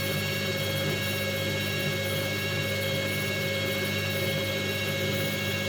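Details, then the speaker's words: Candy washing machine that had error 08, after repair, spinning at 400 rpm: a steady, even motor hum and whine with no more carbon-brush crackle or sparking ticks. The motor runs cleanly. "Et on a plus du tout le même bruit. Là, on entend bien le bruit des On entend bien le bruit du moteur. On entend plus le bruit des charbons."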